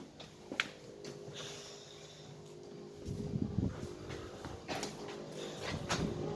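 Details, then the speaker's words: Outdoor inverter box of a three-year-old Bosch Climate 5000 split air con on heat setting: fan hum with irregular purring rattle and buzz, vibration felt on the case, another noise besides the fan, cause unconfirmed. "but there's something else making a noise on that thought is such the case I feel vibration there"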